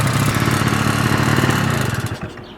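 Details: 1986 Honda Spree scooter, carburetor needle adjusted for snappy throttle, just started: small two-stroke putters at a quick, even idle with a steady low beat before fading; runs clean and healthy.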